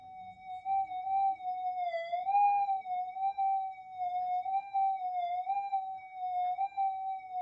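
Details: Repaired stock Minelab GP Extreme metal detector after a secondary regulation update and main-oscillator pot-core inductor change, volume turned up: clean steady mid-pitched threshold hum wavering gently, no crackle or dropout; normal threshold tone.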